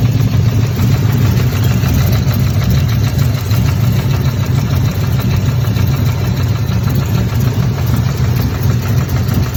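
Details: Chevrolet Camaro 1LE V8 at idle, engine at operating temperature: deep lumpy rumble with faint rapid puffing tick; owner suspects an exhaust leak, not confirmed.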